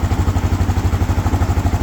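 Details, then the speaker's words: Suzuki DR650 single-cylinder, first start after engine rebuild, idling: steady, even thump with no knocks, ticks or the previous gearbox whine; very quiet. "Now that sounds sweet as. All that gearbox noise I had before is all gone. That just runs so nice"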